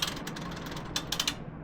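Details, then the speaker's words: Laundromat washing machine timer, heard as the control knob is turned with door latched: rapid ratcheting clatter with a few sharp snaps, then stops; timer mechanism slipping, timer box faulty, later replaced from a donor machine. "Can you hear that? This is slipping. This thing is slipping. Yeah."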